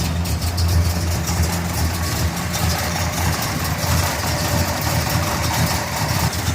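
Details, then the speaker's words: Restored 1969 Pontiac GTO V8, 4-speed, on pre-purchase inspection, hot day, cold start, oil clean and full; deep steady idle with even low burble, no knocks or misses; inspector says engine sounds pretty tight; normal idle. "drive engine sounds pretty tight"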